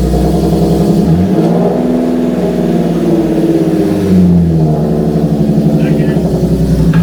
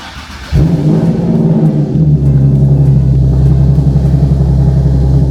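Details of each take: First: Nissan 370Z with VQ VHR engine after a used-transmission swap: repeated engine pulls with clean shifts every few seconds and no whine, grind or clunk between gears. All seven gears engage with no false neutrals; normal gear changes. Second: Nissan 370Z with VQ VHR engine and a used swapped-in manual transmission, clutch not yet fully bled: heavy, rough low drone with uneven rumble; owner fears the gearbox will lock up, cause not pinned down.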